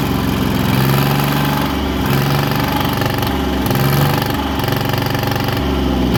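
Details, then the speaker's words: 1963 Chamberlain Super 90 tractor with a 3-cylinder two-stroke supercharged GM Detroit diesel, first revival start after years parked, starting fluid in the intake manifold: loud rough clatter surging in steps as it briefly runs away before shutdown; seems okay. "It had a bit of a runaway, didn't it, mate? Yeah. Just a little rev up. But we managed to shut it down, and I think it's all okay, and it survived with another day still."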